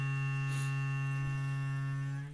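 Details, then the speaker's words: Two-year-old Aquaphor Morion 101S water filter, formerly humming nonstop, after the missing water damper was fitted to the main line: a steady low hum with a faint ring eases, returns, then fades as the pump shuts off normally. "Сейчас скоро успокоится, наверное. Сейчас посмотрим-ка, понаблюдаем. Вот утих, чуть-чуть утих. Нет, возвращается."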